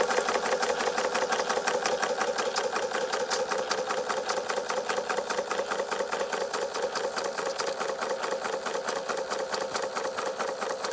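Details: Bing 130/383 uniflow model steam engine, first run after repairs and refabricated parts, on low pressure: quick even chuffing beat with light gear clatter, steady throughout; running smoothly, water pump not yet working.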